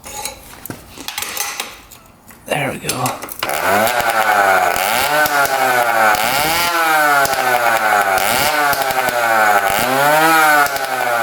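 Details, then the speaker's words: 1966 Yamaha YL1 two-stroke twin, new plug made no difference, crank seal suspected. It idles well, but revs rise and fall roughly on throttle blips as one cylinder stops sparking at high rpm; misfire on one cylinder. "At high RPM it stops sparking. So you can hear it coming out. It idles good, but as soon as you hit the throttle, it automatically stops sparking and doesn't run on that cylinder here."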